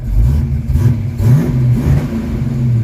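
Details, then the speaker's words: Ford Mustang, very hot after running, following electronics failure: rough, stumbling engine like bouncing off a rev limiter; misfire, with liquid seeping from the top of the new ignition coil, suspected cooked. "Still missing. Still sounds like it's got a rev limiter on it."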